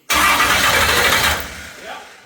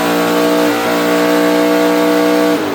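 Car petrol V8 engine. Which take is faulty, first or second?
first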